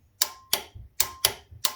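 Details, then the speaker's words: Warn winch contactor block bench-tested on a 12 V battery, with each of its two circuits energized in turn. Sharp, clean clicks about every third of a second show both solenoid armatures moving, though correct switching is not yet confirmed. "there we go so we know that the amateur in the solenoid is moving and it's moving on both of them that's actually good news"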